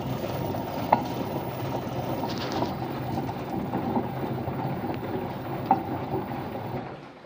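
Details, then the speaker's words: LG washing machine humming during spin: steady rough rumble and rattle from the drum due to worn drum bearings, where water had leaked in. "Стрелял машинка LG, при отжиме гудит. Вот проблема с барабаном подшипник."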